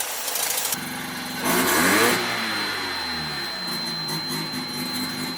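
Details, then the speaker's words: 1985 Mazda RX-7 GSL carbureted 12A rotary, warm, after leaning the carburetor mixture by further half turns: catches, revs briefly, then settles into a steady, even idle with no misses; healthy idle. "that's a healthy layer idle if I dare say so myself"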